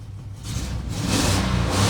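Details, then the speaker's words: Cateye truck after the new muffler is installed: a low, mellow exhaust note climbs smoothly with revs, with no rasp, drone or blowing. The new muffler quiets it properly. "Check it out. Pretty much quiet. There we go."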